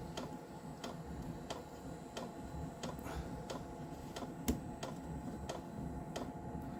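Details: Diesel heater indoors on a Chinese power supply with battery backup, about 2 minutes into a cold start at 5–6°C, 11.3 V, set to high: light, steady fuel pump ticking just under two per second over a soft fan rush; normal knocking during startup only.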